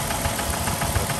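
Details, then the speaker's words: 2005 Dodge Grand Caravan 3.3L V6 idling with Lucas oil stabilizer added, and it already sounds better than at first start. A light, rapid, steady tick runs over the rumble. The owner thinks it is valve clatter front and back, possibly a timing chain guide; unconfirmed. "i'm still considering the fact that it may have a a guide to the timing chain problem but it sounds more like a valve clatter in the front and maybe in the back to me"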